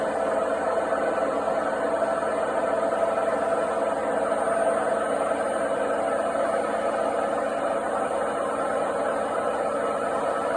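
A loud, steady rumbling roar with a droning hum as the drum spins, typical of failed drum bearings.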